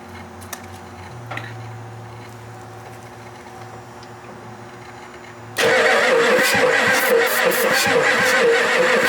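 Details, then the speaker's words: Ford F-250 7.3 non-turbo diesel that sat 10+ years; fuel supply uncertain (gauge reads full, likely faulty). The starter cranks hard with an even churning beat, sounding better, but never fires. Afterwards a burning smell and a leaking, spraying injector were found. "okay that was sounding a lot better I think it's slowly coming around"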